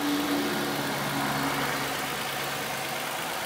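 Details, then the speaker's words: 2009 Toyota Kluger KXS V6 at idle, 77,000 km: soft, even, very quiet hum with no tappet or top-end ticking; healthy engine. "So the motor's running here, as you can hear, it's a very quiet motor, no tappet noise or anything else, as you'd expect by with a motor of that sort of kilometer range."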